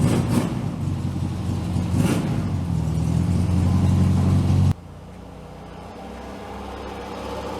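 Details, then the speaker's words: 1967 VW Beetle "Ruby", air-cooled flat-four, just fitted with a new cap, rotor and plug wires, on a roughly 40° day. It catches and revs with an even, buzzy rumble, pulling up cleanly without misses before it shuts off. Runs healthy. "we're going to let Ruby warm up a little bit and check her idol all right I'm pretty sure you guys can hear that I think we got Ruby pretty well dialed"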